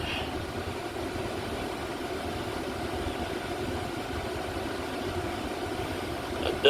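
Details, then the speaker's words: 2001-2007 Toyota Sequoia after the front blower motor and wheel were replaced with an aftermarket unit, key on at idle: steady, even rush of air on the high fan setting, and the earlier ticking noises are gone. "all right this is what it sounds like on high"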